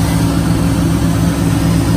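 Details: 2003 Chevy Silverado 1500 with a no-crank, no-start fault, started with a wire jumped to positive: a smooth, even low idle with a steady pulse and no ticks, knocks or stumbles. Possible faulty wiring or neutral safety switch. Healthy.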